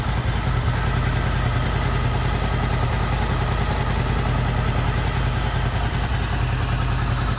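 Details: Honda VFR800 VTEC V4, 58,200 km, after cam chain replacement (previously knocking from front cylinder), warm idle around 43-50 °C, mic close to engine: steady even low rumble, no knock or rattle; healthy.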